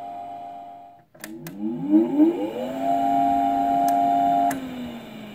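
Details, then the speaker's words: Keithley 619 two-channel electrometer, bought broken, last calibrated 2006, briefly powered on: fan spins up with a rising whine into a loud steady hum; obnoxiously loud cooling fan that must be replaced. "bought it broken of course but I'll take the risk and turn it on briefly H nothing apart from this obnoxiously loud fan"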